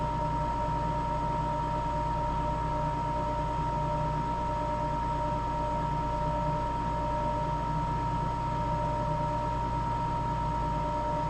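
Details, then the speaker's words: Napoleon NPS40 pellet stove running after a successful ignitor and ignition snap disk replacement, while waiting for the snap disc to click. Steady, even fan hum with a constant thin tone above it, no rattles or scraping; running normally. "Alright, so this repair was successful. Let's wait for it to click off. You'll hear the snap disc change."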